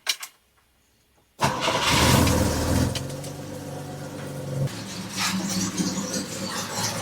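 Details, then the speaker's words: 1974 Volvo 164e, start after cooling system repairs with new radiator and transmission cooler, coolant topped off: silence, then the engine catches at once and settles into a slightly uneven but steady idle; starts fine. "Alright, I think she's running good enough to stay running for the moment."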